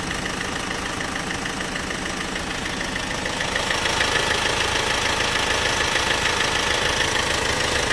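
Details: 1.6 CDTi diesel at idle: a sharp, even tick at about 200 per minute rides over the steady idle. It is a light mechanical tick whose source is still unknown.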